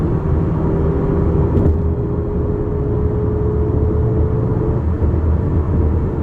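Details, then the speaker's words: 2018 Toyota RAV4 on a pre-purchase test drive, phone placed on the rear floor: at speed, a thin, steady whine holds one pitch above the tyre and road rumble, from the rear differential, which grows as speed rises; the inspector suspects it will need servicing or replacement. "Okay, so I'm hearing sounds coming from the rear differential. It's not really loud, but it's there, and I suspect that'll be needing servicing or replaced in the future."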